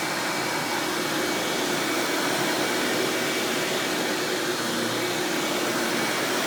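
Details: 1997 Hoover Dirt Finder Power Drive U6331-930 self-propelled upright vacuum running in floor mode: steady, even motor rush, no rattle, squeal or surging; runs exceptionally smooth and surprisingly quiet for an Elite-style machine, normal running.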